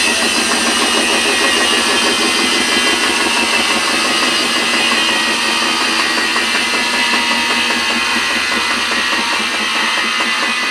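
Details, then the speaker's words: Washing machine on spin cycle: a steady, loud jet-like hissing roar holds through the whole spin; abnormal, cause not confirmed. "never heard of a washing machine that does that but what I don't understand though is it's that powerful on the spin cycle but yet"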